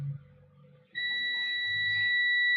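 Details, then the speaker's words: Garage door opener board with a visibly blown component, multimeter continuity test from the voltage regulator's output pin and the chip's third pin to ground: steady unbroken beep, rail still dead-shorted to ground. "Yeah, still shorted. What about the ground to out? Ground to out. Yeah, still shorted."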